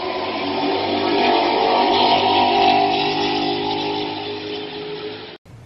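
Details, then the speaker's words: 2007 Mustang GT with a swapped 2013 F-150 Coyote V8 and a newly installed 2018-2019 intake manifold, on a drive possibly reaching about 8,000 rpm: clean, crisp V8 climbing to high revs and falling back smoothly, no misses or knocks; healthy. "I might have gotten to 8K twice so uh I guess I'll throw in a little sneak peek for another video that I'm going to make about hitting 8K in this thing"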